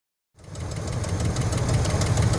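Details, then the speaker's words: 1973 Buick Centurion 455 V8 at steady low idle with a fast, light ticking that is new. Owner suspected lifters; a damaged lifter was found with the intake removed. "it's got a bit of a noise that it didn't have before it sounds to me like it might be lifters but I'll have to take the in part on for sure"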